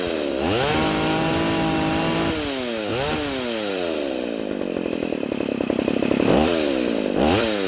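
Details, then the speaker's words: Poulan 3400 / Craftsman 3.4 vintage chainsaw after the carburetor metering (needle) lever was lowered: pitch rises and falls smoothly with the throttle, no bogging. Before the fix it smoked, loaded up, bogged when warm and died. "there that's better before it was smoking and loading up and and then once it warmed up it was like completely bogged down and then it would just die"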